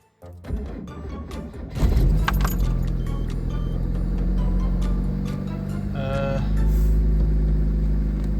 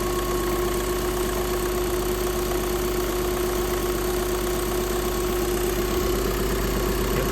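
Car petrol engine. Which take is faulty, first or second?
second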